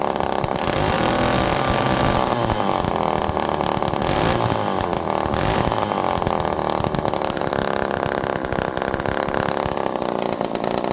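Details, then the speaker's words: Homelite Super Mini chainsaw with the low jet backed off from 2.5 turns to about 1.5, very rich, and fuel pouring from the muffler. It revs quickly but won't return to idle, then starts settling, hunting unevenly; air leak suspected at first, now doubtful. "Listen to how it revs quickly but doesn't go back down to idle. Okay, now it's starting to settle down, and maybe we don't have an air leak, but friends, this low jet is at half, 1, half, 2, half, 2.5 turds. That is so rich that this thing should be dying, okay?"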